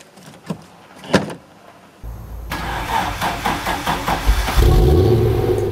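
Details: Audi 200 Quattro Turbo: laboured cranking at about three slow turns a second before the engine catches and revs. The battery is weakened.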